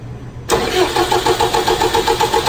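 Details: Starter cranks a 4.4 common-rail engine disabled from starting, at a steady even pace of about six strong pulses a second with no drag; cranking voltage at battery post about 10.4 V, above 8 V minimum; healthy cranking.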